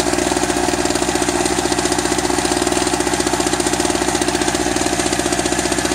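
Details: Eagle River ERG1200 two-stroke generator, first start: busy drone with uneven rapping knock about three per second; owner suspects poor lubrication as oil smells plasticky, cause unconfirmed; engine knocking.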